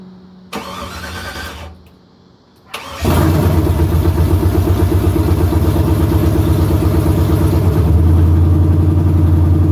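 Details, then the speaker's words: Chevrolet OBS truck with stock 5.3 LS swap on a TSP Stage 2 cam, first start: catches after a short crank into an uneven, lumpy idle with a sucking hiss; air gaps in the intake setup make it run rough. "there's air gaps all through here so i do need to do something with this intake setup i do have i can just hear it trying to suck for air and it's just not going"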